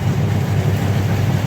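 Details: LG semi-automatic washing machine after gearbox replacement, spun without water: steady low motor and gearbox hum, even and free of knocking, running strongly with no leaks, then stops. Normal wash motor run.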